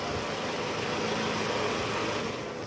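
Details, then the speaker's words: Toyota Camry 2010, 2AZ-FE engine, 127,000 km, heard from the side after replacing the destroyed balancer shaft that caused a grinding "grkrkrk" on cold start. Now a smooth, even idle with a steady low hum and no knocking or rattle. "Oke sip suara mesinnya udah normal guys jadi memang penyebabnya dari balancer shaft yang hancur"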